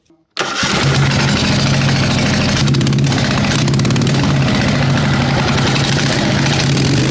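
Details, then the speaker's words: Racing lawn mower engine after a 2.4-hour race, oil lost, fuel tank low, engine bolts missing; cranks and catches quickly, then a fast, rough, uneven beat with shaking rattle as the loose engine wobbles in its mounts, smoking and dripping oil. "I don't know what happened to the engine bolt. Good news is that it starts. Bad news is that it's wobbling around."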